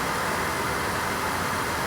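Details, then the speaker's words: Dometic furnace in a 2020 Winnebago Micro-Minnie 2108DS, under a year old, after ignition failure: after reseating the sail switch in the correct orientation, the furnace ignites and blows hot air; steady, even blower airflow rush with no rattles, scraping or cycling; normal running. "i'm really clean at night here it's finally ignited and it's giving me hot air"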